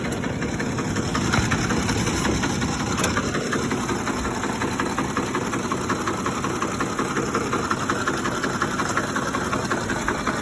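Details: 2007 Ford F-150 5.4L 3V Triton, 158k miles, warm after about 20 minutes of driving, at a stop: RPMs drop into an uneven, lumpy idle with a diesel-like rattle pulsing about three times a second. Timing chain, tensioner, plugs, coils and VCT solenoids already replaced, no check engine light; cause unknown.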